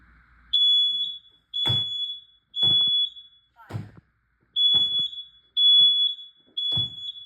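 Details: Home smoke alarm during an August 2 smoke and carbon monoxide alarm test: loud shrill beeps about once a second, each about half a second, in a quiet room; smoke alarm sounding normally.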